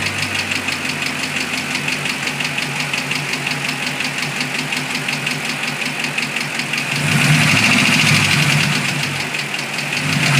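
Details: 2006 Mustang GT V8 at idle: sharp, steady ticking near three per second, quickening with revs. A stethoscope traced it to the passenger side: a failed roller cam follower bearing had worn a camshaft lobe almost round.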